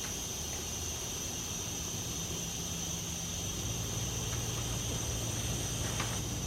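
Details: Audi B5 S4 twin-turbo, re-pressurised after clamping the passenger-side turbo inlet: constant thin high hiss over a low hum; charge pipe cracked at its mount weld.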